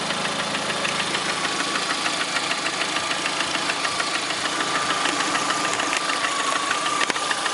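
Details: 2009 Lada Priora, 37,000 km, engine began knocking 500 km after adding Suprotec additive: quick, fairly even light knocking about three per second over the idle; knock of unknown origin.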